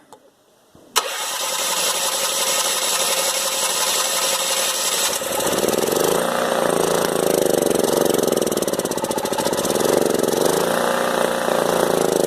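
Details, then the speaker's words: Older Honda EM3500SX generator, electric start, had stopped and got water-contaminated gas; fuel poured directly into the carburetor. Cranks and catches after about a second, speed hunting a little; runs only on fuel poured into carburetor, carb fuel starvation likely. "let me tell you my strategy on a small engine that doesn't work the first thing you do is you take some starting fluid and you run it through the carburetor and you see if it'll run on star"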